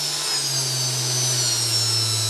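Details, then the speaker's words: 3040 CNC router spindle on first power-up, cranked to top speed: clean, steady high whine with a low hum underneath, pitch holding even; sounds really smooth, a healthy spindle. "And then let's try the spindle. We'll go slow. Oh yeah, it's working. And then let's crank it."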